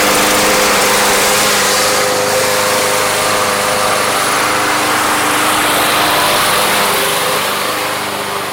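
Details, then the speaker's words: Yard Machines lawn mower, bought not running and treated with Seafoam, on a hot start: the small engine holds a steady, even buzz with no misses or surging, running cleanly when warm; normal running. "It actually cleared up a lot. Let's just see. Obviously this is a hot start, right?"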